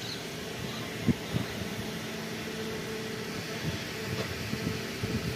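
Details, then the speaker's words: Ceiling fan after bearing service (both bearings greased and repaired, not replaced) that had made noise before; now a soft, steady low hum with no bearing growl or squeak: normal quiet running. "मने Greece लगा दी है bearing के अंदर bearing service की है change नहीं की है देख सते दोनों बेरिंग हमने रिपेयर कर द है पूरा वीडियो देखि दोस्तो समझ में आ जाएगा आवाज बिल्कुल चेंज हो जाएगा"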